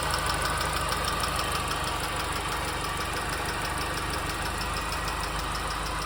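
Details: R53 MINI Cooper engine at idle with a light, even tick about three times a second over the engine hum; source of the tick unknown.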